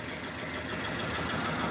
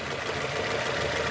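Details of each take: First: 2002 Nissan Almera N16 with a QG18 cable-throttle engine, bucking after a spark plug change; two cylinders are not contributing because two coil connectors were swapped. A rough, lumpy idle with an uneven low thud: misfire from two dead cylinders. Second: 2002 Nissan Almera N16, QG18 cable-throttle engine, idling after swapped cylinder 3 and 4 ignition coil connectors were corrected: steady, even idle hum with no skipped beats, all cylinders firing, no more misfires.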